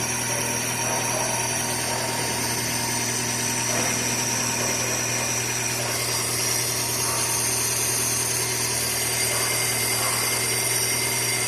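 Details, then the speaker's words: Chevrolet Corsa Classic after repair of loud engine noise and battery warning light, charging about 13.7-13.8 V; steady even idle hum with faint belt-drive whine, no knock or rattle; earlier noise gone, injection and battery lights off; normal idle. "apagou a luz da injeção da bateria o barulho que tava fazendo antes já não tá fazendo mais tá vendo ó"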